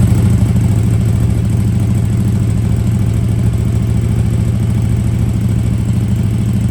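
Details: KTM RC8R with swapped 2020+ 3rd-gen 1290 Super Duke engine, after safety-wiring leaking joints: deep even idle, steady low thrum, no knocks or misses; healthy and settled.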